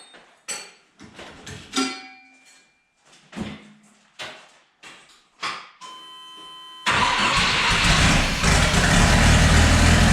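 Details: Chevy S10 swapped with a 3.0L turbo boat engine: several stumbling cranks, then it catches and runs steady and even after timing was set to 8° advance and a custom PROM with 8° spark reference installed.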